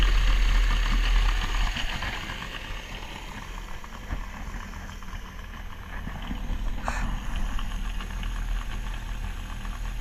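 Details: Carburetted boat motor started after 12 months sitting, with carbs kept primed and fresh fuel: steady, even low idle with a regular beat about four times a second and no knocks, warming up; normal warm-up idle.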